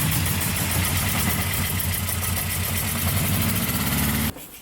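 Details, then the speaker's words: 1959 or 1960 Austin Healey bugeye Sprite, 948cc four-cylinder with twin SU carbs and 4-speed, run after a failed needle and seat was found, to check for flooding; steady, even idle with no misfire or knock, then clean shut-off. "we've got it to this fantastic position now that it is now a living, running, driving, breathing beast."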